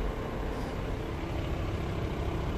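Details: 2008 VW T5 Transporter heater blower fan motor after replacement, test run at speed settings 1 and 2 before reassembly: steady, even whir with constant hum, no knocking or rattle; new motor runs smoothly. Old one likely failed after the previous owner left the pollen filter out.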